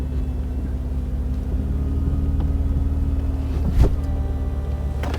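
Even motor drone running smoothly throughout, with a single soft clunk as the roof seats; the mechanism is working normally.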